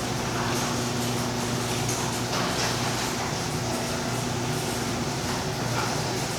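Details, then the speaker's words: Impact-rated garage door about 3–4 years old, after lubricating its joints, wheels, rails and shafts to cure a squeal: soft, even motor hum with no squeal, and inaudible inside the house; normal quiet operation. "so quiet and with the house door closed you hear nothing that's the best part you don't hear it inside at all"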